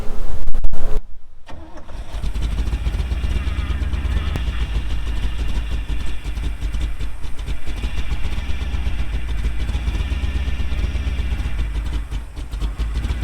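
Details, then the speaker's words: 1975 square-body dump truck V8: after a loud start it settles into a deep, slow, lazy idle with little pep. The idle speed is set too low and needs raising. "Whoa, don't tell them all my secrets. I need to idle it up higher."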